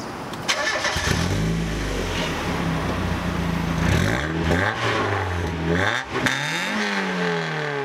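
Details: Mazda MX-5 Miata NA 1.6 drift build with homemade welded custom exhaust, thick muffler and deadening: revs climbing and falling through gears with coarse raspy note; raspy exhaust, with an exhaust leak noted.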